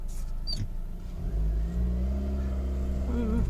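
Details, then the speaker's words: Peugeot 307 sedan with manual transmission, after clutch repair: it pulls away with a smooth, rising engine drone and no chatter or judder, the earlier squishing noise on pressing the clutch now gone. "okay you can see the noise is gone no more squishing sound"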